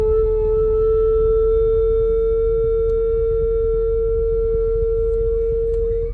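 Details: 2019 Ram 1500 Bighorn stopped in Drive or Park: a steady mid-pitched droning hum caused by an A/C valve sticking open. Pressing the A/C button stops the hum temporarily.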